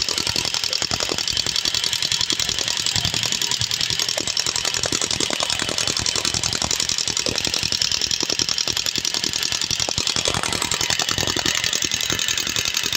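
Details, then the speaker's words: Yamaha Sniper 135 after top overhaul for coolant damage and wrong timing, fresh oil change: fast sharp metallic ticking about three or four a second over thin idle; no oil lubrication to top end, oil pump and passages suspected. "wala walang [Musika] lubrication yan walang walang lubrication ng langis"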